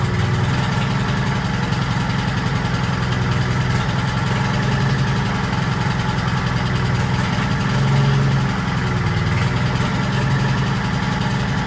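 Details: 1940s Allis Chalmers D5 or HD5 crawler with 2-stroke Detroit 271 diesel, first run in many years: deep, steady low idle drone, firing even with no knocks. Motor sounds good; smoke suspected from a problem injector.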